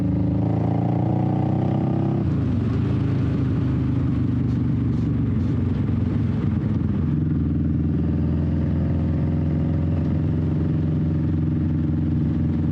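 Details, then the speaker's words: 21-year-old Honda Shadow V-twin after repacking exhaust baffle with new fiberglass, on road: deep, steady note rising and dropping through shifts, fairly loud but mellow, less raspy; normal exhaust note. "I really enjoy the way it sounds now I think that the fiberglass did help quite a bit it's a little bit more tame it's not as raspy it has a nice deeper tone to it"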